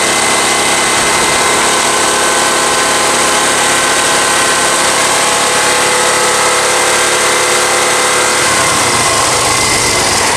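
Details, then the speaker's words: Honda EX1000 generator after carb cleaning, air filter off, running a fan: dense, strained, bogged-down roar at flat pitch, labouring near load limit; only runs at half throttle, cause unknown, air filter to be refitted next. "So I need to find out why it's only running at half throttle. It is struggling, but it is doing it."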